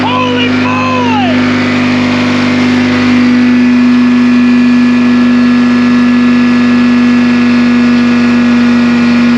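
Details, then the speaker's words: 1960 John Deere 440 backhoe, supercharged two-stroke Detroit 2-53 diesel, freshly freed after years locked up and sitting, now running with almost 60 psi oil pressure: strong blower whine over an even drone, no misses or knocks. "this thing sounds awesome you hear the supercharger this thing's flipping cool"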